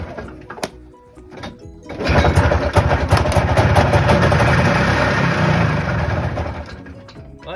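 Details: Long-sitting 1990 Yamaha Bravo snowmobile two-stroke, first start: it catches and runs with a fast, rough, rapping beat and uneven revs, running on its own with idle not yet set.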